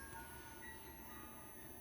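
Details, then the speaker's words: Idle Nema17 stepper setup with DRV8825 drivers, CNC Shield V3, Arduino Uno and a 12V 5A supply: a steady high-pitched multi-tone whine over a low hum starts once 12V is applied; speakers amplify it, and the owner suspects a ground loop. "what is that whiny noise all right I have speakers hooked up to this project all right now what happens is that when I when I plug in the speakers it of course picks up that EMF and makes the noise even louder"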